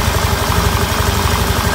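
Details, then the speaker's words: 2015 Honda Beat scooter after repair of a failed crankshaft bearing that had caused grinding in the engine: a steady, even, low putter at idle with no rough noise. Normal idle. "suaranya halus banget teman-teman ya"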